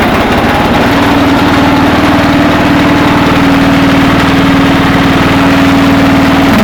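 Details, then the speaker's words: Cub Cadet 482 garden tractor with a replacement 11 hp Briggs & Stratton single-cylinder engine, original having failed, said to run fine; fires up and holds a steady, even clean drone with no misses or knocks: normal running. "this engine because the original one went out, and this engine runs fine. There's nothing wrong with it."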